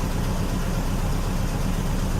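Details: 2000 Chevy Cavalier: steady rough idle rumble under heavy hiss; misfire, later shown moving to another cylinder.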